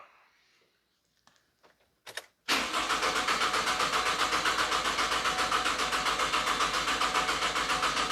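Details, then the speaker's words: 2009 Pontiac Vibe 2.4 starter draw test, fully charged battery, EFI fuse pulled so no start: steady, even cranking at about three to four turns a second; cranking voltage normal at 11.26 V, healthy starter. "so it said that the cranking voltage is normal 11.26 volts"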